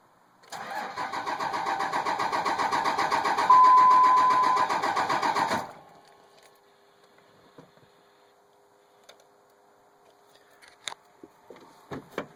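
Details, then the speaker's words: 2003 Dodge Ram 2500, 5.9 24-valve Cummins diesel, NV5600, cold long start at 65°F: steady fast cranking, about four compressions a second, five seconds with no firing; ticking heard, possibly near grid heater; batteries getting low; owner suspects injectors, unconfirmed. "getting low on batteries trying to start it don't want to ruin that starter either you can still hear that tick in there"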